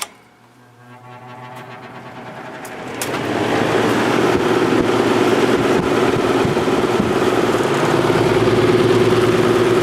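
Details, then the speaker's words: Vintage Penney's window fan after switch replacement, cleaning and oiling: switch clicks, then it spins up to a steady, even rush of air with a soft hum, little difference on low, no rattle or scrape; normal fan running. "not much of a difference on low at all but uh it runs great"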